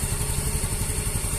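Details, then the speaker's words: Yamaha Fino 125 after a new rocker arm and removal of the exhaust-valve decompressor that caused the noise, engine refitted to the chassis. Steady, smooth single-cylinder idle with no tapping; normal. "Oke teman-teman, kita sudah lihat bahwa suaranya sangat halus sekali."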